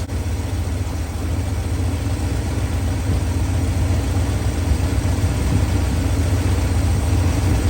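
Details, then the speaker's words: 1969 Ford F250 with ignition timing set far too advanced, after a drive: deep, uneven, lumpy idle with an irregular beat that stumbles when dropped into gear, and it runs terribly. "okay this truck is way too far Advanced I just took it for a spin and it is running terrible it's idling you drop it into gear watch I'll show you watch what happens even in here"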